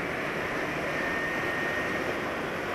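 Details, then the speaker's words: Car engine at about 9000 km on Mesran 40 oil with added two-stroke oil and cooking oil, which was rough-sounding before: a soft, even hum with no roughness, knocks or ticks and the radiator fan off; smooth, quiet idle. "Jadi sekarang nggak begitu kasar lagi kalau sudah di telinga agak lama"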